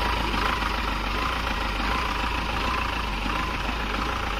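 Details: Mahindra Xylo diesel, after repair of a no-start and vibration fault: even diesel clatter at idle with a steady hum and no surging or shaking; the vibration is gone and it runs smoothly.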